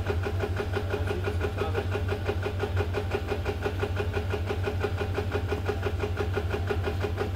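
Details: FA20 engine right after start-up: quick even ticking rattle around three per second over a steady low hum; VVT rattle.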